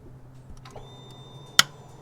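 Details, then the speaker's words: Indian Roadmaster motorcycle with no crank and no start, starter replaced five months earlier: one hard click when the start button is pressed, then no cranking. The meter shows 0 volts at the starter-side post, confirming a failed starter solenoid. "we have 0 volts. But that solenoid is clicking hard. So, we have confirmed that that solenoid has failed."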